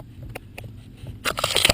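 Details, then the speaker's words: Clunk in the steering of a 2.6 V6 Holden/Opel Vectra: dry clicks and sharp clunks as the steering column's sliding tube is worked in and out by hand; the binding slip joint, not the universal joints or spline clamp, is the cause. Fix: silicone spray down the shaft. "This little tube, as I do that, you'll see it's just pulling in and out a little bit, and you can hear that noise. That noise is by suggested it's not the universal joints, that it's not the clamp on the spline."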